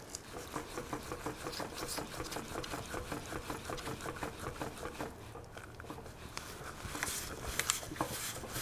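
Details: 2017 Lexus NX200t turbo engine, 66,000 miles, burning heavy oil after maintenance neglect, torn down and turned by hand: loose, uneven clicking knocks about twice a second as the pistons rock in the bores from excessive piston-to-cylinder clearance. The engine is done.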